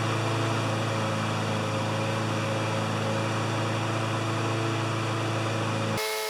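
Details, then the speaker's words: Honda GCV160 mower engine after governor arm bent and adjusted, owner reported it ran at 6,000 or 2,000 rpm: a high, steady, even drone with no hunting at about 3,590-3,610 rpm; normal governed top speed. "but it's right at 35 89 3601 3612 so that's as good as it gets"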